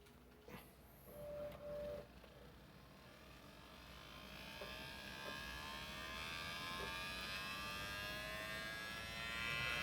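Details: 8TB Seagate hard drive that failed unexpectedly, data not recoverable: thin whining tones climbing steadily in pitch with faint ticks between; failing hard drive noise.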